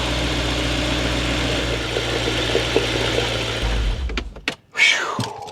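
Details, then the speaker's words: BMW E92 M3 with a rebuilt replacement engine after the original S65 was blown, Turner exhaust, first start after the rebuild. Smooth, even idle with a steady low hum and no knocks, ticks or weird sounds before shutoff; no leaks found. Normal idle. "And for everything to come together and everything is working as it should, the engine sounds good. We don't have any leaks yet."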